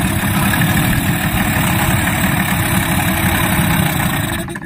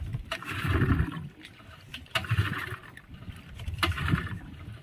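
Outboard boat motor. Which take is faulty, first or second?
second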